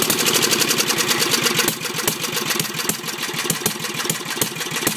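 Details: Briggs 10hp, governor reconnected and working: fast ragged firing at high revs with choke off, no settling to slow idle; carburetor suspected worn or way out of adjustment.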